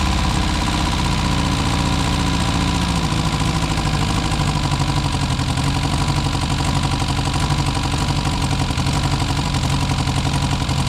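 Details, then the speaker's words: Four-cylinder classic car revived after sitting about 35–40 years, choke just pushed in: loud, choppy idle with uneven chuffing and occasional dropped beat, seemingly firing on three at times; owner suspects rings and valves still settling. "it sounds like it's firing on three occasionally for maybe that's just the Rings and the valves coming back to L"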